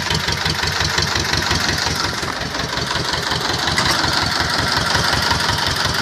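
Steady diesel clatter at idle with an even, unhurried beat and no odd knocks; this tractor engine is running healthy.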